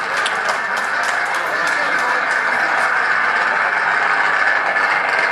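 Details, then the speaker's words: Recording of an electrical switch: steady fizzing hiss with scattered sharp crackles and no clean hum, a tracking or arcing discharge noise a healthy switch shouldn't make; reading around 11 dB, severity and cause not yet determined. "so I mean ju forget anything else from a tonal quality standpoint do you think that's something that we want to hear from a switch most likely not"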